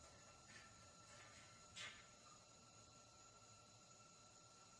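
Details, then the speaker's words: Trailer frame MIG weld after wire feed was turned up to 54: even, continuous frying sizzle with no pops or breaks, arc running smoothly, with some reverb through the pipe. "*nice, steady, even frying sounds*"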